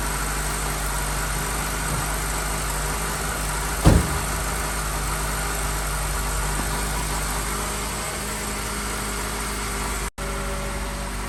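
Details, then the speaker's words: Car idling just after starting on a brand new battery: steady, even low idle with one light click partway through, no misses or knocks; engine running smoothly. "friends, looks like it is fine. The car started nicely and you can heard the sound."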